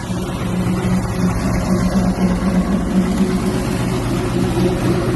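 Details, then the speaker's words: Buick Regal, also fitted with the wrong serpentine belt: rough uneven knocking about four times a second over low engine drone as it revs; owner attributes it to a bent flywheel, not the engine itself; engine knocking. "Yeah, the flywheel bent on the thing. If people ever heard that, man, probably wondering what that was. Think the engine knocking, the engine not knocking. It's the flywheel bent on it."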